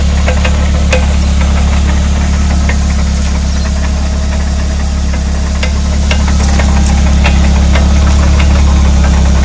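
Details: Rear hub rattle: steady low drone with a fast, fairly regular knocking rattle over it, matching a loose or worn rear hub.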